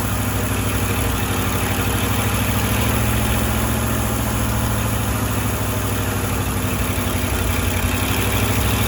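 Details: Firetruck V8, warm near 190 and kept from running hotter until a fan is fitted: smooth, even low rumble, no knocking or banging; timing set roughly, fine tuning to come; normal idle.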